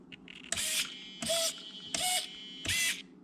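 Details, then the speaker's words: Traxxas TRX4 with Hobbywing 1080 ESC, BEC raised from 6 to 7.4 volts: short repeated servo whirs, a bright mechanical buzz with higher pitch; servo gets more power, normal and healthy. "so now listen to this pitch of the servos they're getting a lot more power"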